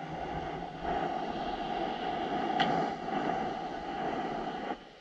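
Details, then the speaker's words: Shop compressed air system checked with an ultrasonic leak detector; a steady rushing hiss swells and fades as the probe moves: air escaping at the drain, likely a failed rubber gasket to be replaced. "so that noise that noise that you're hearing is literally the air rushing out of this leak right here in our drain"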